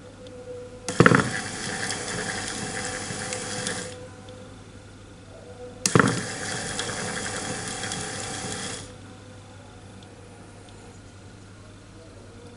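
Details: New, not-yet-installed electric power steering motor (Avanza/Xenia/Ayla type, for a Suzuki Katana DX conversion) bench-tested directly on a battery, reversed direction: two clean three-second bursts of smooth, even whirring; spins freely, healthy.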